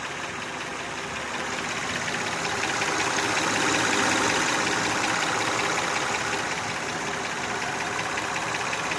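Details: Honda Odyssey engine: loud, steady ticking knock at about 160 per minute over the idle, getting louder over roughly three years; owner suspects valve adjustment may help, cause not confirmed.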